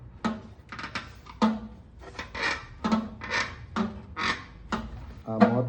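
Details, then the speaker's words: CB 500X motorcycle making a squeaking noise while riding: repeated rubbing squeaks about every half second from a rubber piece under the fuel tank chafing. "Bom, galera, a princípio, essa borracha aqui, ó, ela tava aqui por cima. Quando desci o tanque, vendo, ó, ela começava a morder aqui, ó."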